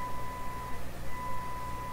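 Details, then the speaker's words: Canadian General Electric K60 radio during IF alignment (true IF 175 kHz): a 250 kHz signal injected into the IF comes out of the speaker as a steady ~1 kHz tone over mains buzz, a spurious IF response implying bad mistuning; cause not determined. "I mean, this is really saying, if you put a frequency of 250 kilohertz into the IF of this radio, it will come out of the speaker."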